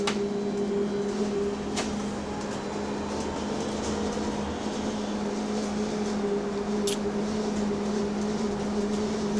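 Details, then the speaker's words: Go Ahead London electric bus on route B16, recorded aboard while driven hard over humps: steady droning hum with constant whine near 200 Hz and faint irregular rattles throughout; cause unclear. "Oh, that noise is actually pissing me off, bro."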